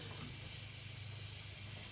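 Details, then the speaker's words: A Toyota Supra (~900whp) makes a sharp, steady hiss of escaping boost with a low rumble under it. Boost reaches only 21–22 psi against a 29 psi target because the bottom wastegate fitting isn't seating; the plan is to go back to the original swivel fittings. "I can really hear it down there do it it's leaking off so bad it's not looking at I'm trying right now it is really bad down here"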